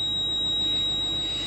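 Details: Steady high-pitched ABS warning buzzer in a quiet cabin of a 170-series Toyota Crown Majesta (1UZ-FE V8) with ABS, brake and VSC/Trac lights on; left running since the beeping sometimes stops when it faults; low ABS pump pressure.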